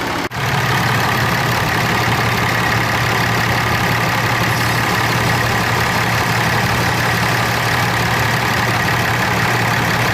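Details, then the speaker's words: Cummins diesel truck idling as the AC is recharged with refrigerant: a click as the AC compressor kicks on straight away, then a steady idle with an even hum; AC compressor running normally. "the a seal just kick on you'll hear it but the compressor kick on straightaway"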